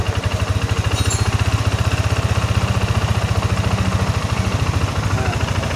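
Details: First-generation Yamaha NMAX with ISC sensor, complaint of high idle that drops slowly; after refitting the sensor and a hose workaround, steady even low putter at idle with quick regular pulse, no stumbling.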